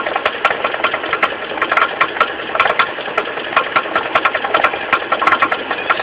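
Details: Mitsubishi 4G15 carburetor engine at idle with uneven light knocking, about one a second, over a steady hum from the loose crankshaft pulley. The pulley was not replaced; the knock was fixed by tightening it.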